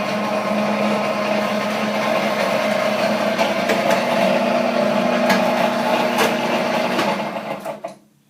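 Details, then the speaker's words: Chinese-made sugar cane press, new model, running: steady mid-pitched droning hum with a faint rough rhythm. The noise seems to come from the lower area, not the rollers; no play and everything is tightly fastened. Cause unclear. "again it sound like the noise is coming down in the lower area not up in the area where the the rollers are"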